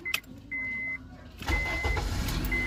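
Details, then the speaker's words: 2005 Honda Accord after replacing a dried-out ignition switch contact unit that caused a no-start: a couple of dash chimes, then the engine fires on the first turn and settles to an even idle. "y a la primera otra vez Ahí está entonces ya intuíamos más o menos que esa era el problemita que era la falla"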